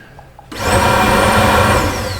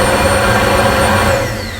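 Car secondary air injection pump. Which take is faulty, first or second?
first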